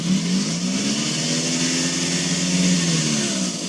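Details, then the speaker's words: 2011 Toyota Estima Hybrid G, 178,000 km: pressing the pedal forces the petrol engine to start from Ready mode; it cuts in smoothly, revs evenly, tone rising and settling cleanly with no knocks; healthy. "okay if you depress the pedal you can force the engine to come on which is what I just did there"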